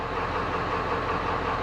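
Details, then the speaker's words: 1996 Ford F350 7.3 Powerstroke diesel plow truck, started after replacing one bad glow plug: smooth, steady diesel clatter at idle with no stumbling or misfire; normal idle, fixed. "There you go, guys. It's started. It's running. It is fixed."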